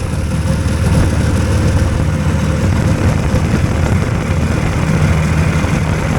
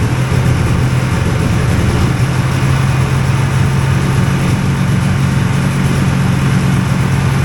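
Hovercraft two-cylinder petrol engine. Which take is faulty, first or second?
second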